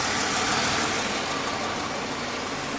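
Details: 2005 Chevy Impala with occasional stalling and crank no start from an injector and cam sensor harness wiring problem: even, steady idle with no misses, stumbles or knocks; normal idle.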